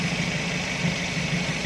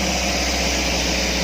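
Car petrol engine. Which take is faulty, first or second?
second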